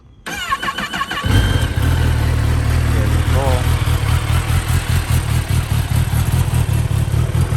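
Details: 2023 Kawasaki ZX-10R KRT edition with Rummier intake: short starter whir, then the engine catches and settles into a smooth, even idle with a steady low note; healthy normal start.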